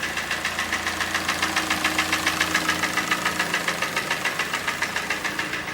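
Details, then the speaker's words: Kia Sportage QL, G4NA engine, 97,000 km, strong knock appeared in winter: sharp even hollow metallic knocks about 3.5 per second at idle; piston slap from scored cylinder, block bored 0.5 mm oversize. "Как вы все прекрасно слышите вот у нас 16 по моему автомобиля пробег 97 тысяч километров Так ну что по одометру слышно хорошо брякает"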